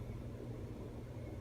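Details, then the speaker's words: 2017 remake 42-inch Casablanca Panama ceiling fan running at full power, a steady low hum with a rough grainy rumble from worn bearings, which quiet down after running a few hours. "but but you hear the bearing noise right now but but when it when it's been running for a few hours the bearings seem to quiet down"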